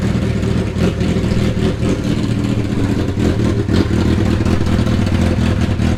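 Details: Long-neglected Hayabusa engine, just fitted with new injectors and running on choke, FI light now out: continuous busy, even mechanical clatter and steady exhaust note, holding revs without misses; sounds healthy.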